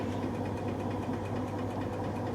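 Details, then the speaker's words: Whirlpool SCW1112 washer before repair, heavy items cycle, with belt slips: steady low grainy rumble as the drum starts spinning from very bad drum bearings, clattering and banging above about 500 rpm. "those bands are bad when you pro once it gets to like 500 rpm or more you'll hear it clattering and that's when the berries get really bad now they're starting to bang"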